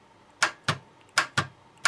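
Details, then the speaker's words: Starter on bench, switched via button: six sharp solenoid clicks in quick pairs with no cranking; solenoid pulls in but motor does not spin, traced to worn brushes with rusted ground plate. "Слышно, втягивающее реле срабатывает, но стартер не вращается. Значит, или неисправны вот эти вот силовые контакты, они не замыкаются или проблема в самом стартере."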